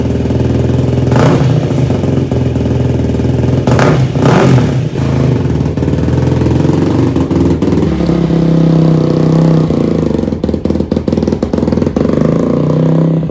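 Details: Yamaha YFZ450 rebuild, restarted with fuel petcock finally turned on after first failed start: single revs unevenly with ragged blips and a stumbling idle; rough running, runs better with gas on but jetting still needs adjusting.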